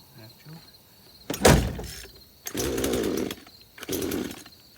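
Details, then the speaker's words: Craftsman chainsaw first start after about five years in a shed, old residual fuel: fires in short ragged bursts, revs sag and nearly die; trouble picking up fuel, only runs with the choke on. "all right so it's like it's having trouble picking up fuel so there we go [Music] [Music] we got a little farther that time with it okay so it only wants to run with the choke on"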